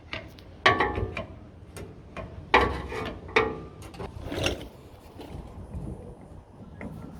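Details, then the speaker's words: Toyota Hilux LN106 with driveline clunk on takeoff, tail shaft levered with a bar: sharp metallic clunks, three or four in a few seconds. Worn universal joint with play. "Can hear that, just hear that universal's got some play in it. That'll definitely be making some noise."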